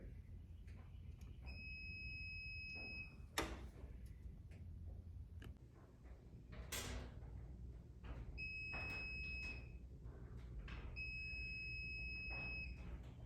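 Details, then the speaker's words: Ceiling outlet install for a cord reel, breaker on: a voltage tester (hot stick) on the wire gives bursts of short, high-pitched beeps, confirming a live hot wire. "hear it so this is my hot wire"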